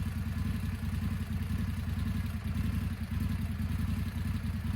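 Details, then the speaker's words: 2025 Indian Scout 101 motorcycle at idle, clutch in: low, lumpy idle thump with an uneven beat that sags as if about to stall; it has stalled twice, dealer service pending. "one big thing is she has stalled on me twice clutch all the way in because when she idles she almost wants to bog out and kill herself"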